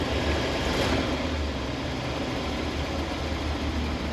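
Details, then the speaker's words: 1976 Dodge Shasta RV engine just started: fast steady idle with a faint uneven pulse, stuck high until the gas pedal is pushed, then it releases and idles lower where it should. "yeah you see she kind of gets stuck high and if you push the gas down it sort of releases and she idles lower where she should be"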